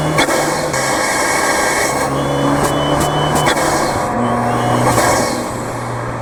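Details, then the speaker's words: Fiat 124 Spider Abarth, tuned, with Forge wastegate actuator on its pre-installed yellow spring: engine pulling at high rpm with an uneven fluttering boost stutter, very noticeable from the car too. "as you can hear there it's very very noticeable like i said in the car too you can tell okay now that issue was the forge wastegate actuator"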